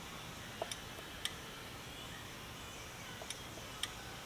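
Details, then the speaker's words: Promatic RTM1 receiver just programmed with a wireless controller: faint sharp relay clicks in pairs with each A button press over a quiet hum, showing the receiver took the programming and works. "I'm going to hit the a button now if you listen carefully you can hear the little relay in here clicking"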